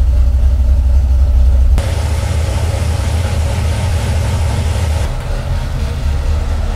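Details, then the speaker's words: Freshly built Mopar 383 V8 for a '68 Dodge D200 on the dyno, after its first pull to high RPM with timing at 34 degrees: settles from a hard rev to a steady, even run, no valvetrain ticking or tapping; healthy. "Let me hear the engine now, because you know that's the first time I took it this high. I want to make sure everything's good. Let me hear if everything's good, valve train noises or anything."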